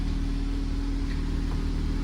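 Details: 2012 Ford Escape 2.5L, no-start at owner's home, now running after mechanic's on-site fix: steady low even engine hum with no knocks or misses; normal smooth idle.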